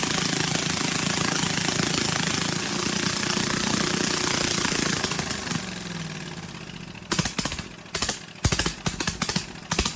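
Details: Briggs & Stratton 18 HP Vanguard, choke hand-held because it vibrates shut: very loud, harsh, raspy exhaust with a metallic buzz while running, then it shuts down. A baffle has broken loose inside the muffler.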